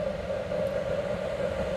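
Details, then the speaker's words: Homemade waste oil heater burner on kerosene with new 12 V computer fan, quieter than the old fan and rated for continuous running: steady even roar with smooth mid-pitched hum and low rumble, no surging or rattles; normal burner operation with quiet fan. "and it's much quieter than that other fan and it's made to run all the time"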